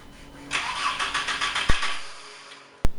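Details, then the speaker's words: VW Mk4 Golf cranked after sitting 9 months, new battery and fresh gasoline: starter spins briefly with uneven churn, never catches, then clicks twice; fuel was bubbling out at ignition, old fuel pump found toasted. "so yeah when I put in ignition start bubbling over here so it's one of these fuel pumps bet all right we got the old pump right here as you can see it was toasted"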